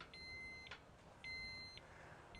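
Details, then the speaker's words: Kovix KTR-18 alarmed trailer lock: long shrill electronic beeps about every second, the second tamper warning before the full 120-decibel siren. "you get one warning we're going to be really persistent trying to get it off you get a second one"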